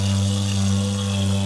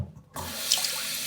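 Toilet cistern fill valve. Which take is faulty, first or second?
first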